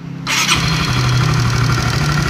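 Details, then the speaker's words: 2016 Honda CB150R after valve shim replacement, engine just started and idling: fast steady metallic rattle over the idle from a damaged cam chain tensioner. "sedikit bunyi karena step senernya ini udah rusak tuh."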